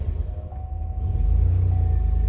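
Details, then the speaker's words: Pontiac Grand Prix (likely 2005) after new ignition coils and codes cleared: catches quickly and settles into an even, steady low rumble with no misfire, unlike before when the pedal had to be held to keep it running. "Starts up real quick and runs perfect from the very beginning. Not like last time where I had to hold my foot on the accelerator pedal just to keep it running."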